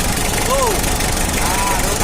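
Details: 1991 Mitsubishi L300 diesel after tune-up for jumped timing, rough sound and weak running: steady, even idle rumble with no knocking, rattle or roughness; normal diesel idle.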